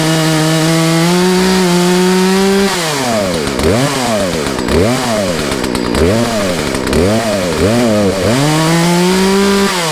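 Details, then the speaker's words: Poulan chainsaw after the Zama carburetor rebuild, new air and fuel filters and fuel line, with high and low speed jets set out 1.5 turns: steady idle and clean throttle blips, running well after a restart. "Well, it started. See if we'll start back up. Well, that's good enough for me."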